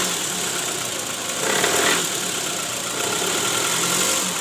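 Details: 2008 Toyota Previa GL240, 186,000 km: rough, uneven idle with irregular knocking shudder and harsh "krrrr" note, worse when shifted into D and R with AC on; balancer shaft found worn and loose (oblak) after removal.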